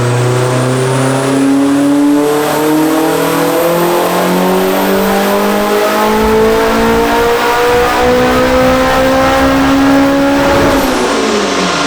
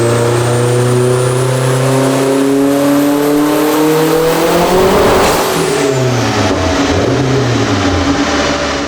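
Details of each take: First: Turbocharged Acura RSX Type S, FWD, on dyno: revs climb smoothly and cleanly to high rpm with no stumble or misfire; healthy full-throttle pull, 562 hp on 19 lb boost, data log good. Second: Turbocharged Acura RSX Type S on dyno with stiffer wastegate springs raising boost; hard pull climbs then stutters and breaks up near top while data log shows nothing wrong. Owner suspects spark blowout from coil packs; misfire under boost, not confirmed.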